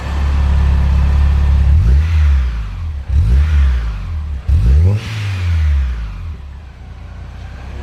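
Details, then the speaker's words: Kraftwerks-supercharged car after repairs, cooling system being bled: several clean throttle blips with deep, mellow exhaust and blower whir, louder further back; healthy supercharged engine. "further back it's louder from the blower the blower makes more noise in the exhaust yeah that's pretty mellow"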